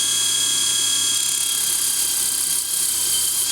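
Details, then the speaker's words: Mini table saw (about 3–4 in blade) sanding through its rotary-tool power take-off chuck: a high, steady motor whine holds its pitch under sanding load with no grinding and works very serviceably; normal operation under load. "oh no works very serviceably"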